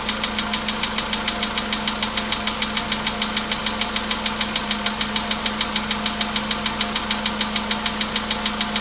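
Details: VW Polo Sedan, 99,329 km, cold start, 15° shown: steady sharp ticking about three per second over cold idle, anvil-like knock, cause unknown; knock worsening with mileage, fades after about 5–6 minutes.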